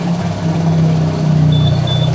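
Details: Yamaha NMAX scooter that wouldn't start, fixed by unlocking via long-press on remote, no parts needed: steady low putter with even rhythm, no knocks or rattles; idling smoothly.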